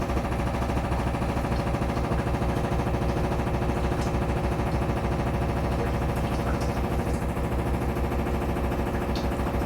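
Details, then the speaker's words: Samsung FlexWash upper washer, Delicates cycle, fast final spin with machine shaking: heavy steady thumping about three beats a second under the spin roar; banging of unclear cause, tub not touching the dryer. "Again, I got no clue what that banging sound is because, like, it's not hitting the dryer. It's very obviously not hitting the dryer."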